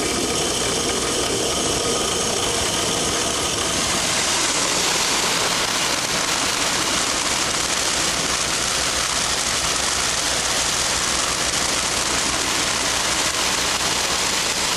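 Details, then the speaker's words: Control valve test rig at about 100 psig inlet as back pressure is lowered: loud steady hiss with crackling rattle growing harsher as cavitation extends downstream and strong vacuum forms at the vena contracta. "as i decrease the back pressure the cavitation extends further downstream under these pole conditions a strong vacuum exists at the vena contracta"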